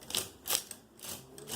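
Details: Brother 260 punch card knitting machine card reader after cleaning and lubrication: light, even clicking in soft bursts about every half second, no grinding or clatter, quieter than before; runs smoothly.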